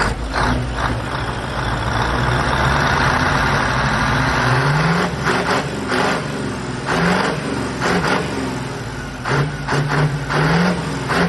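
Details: Old Iveco Turbostar 190-48 truck, 18-liter V8 engine after workshop repairs, all pipes open: loud deep rumble with several throttle blips, revs climbing and dropping cleanly, even firing, strong healthy engine.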